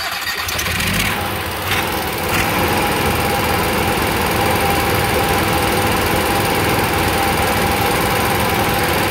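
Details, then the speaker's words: Onan QG 5.5 generator with a fault deliberately induced by knocking the governor lever: a steady, busy drone with an uneven pulse near 3.5 per second, as the governor cannot regulate speed. "all right so what i did i hit this lever made it couldn't regulate the speed"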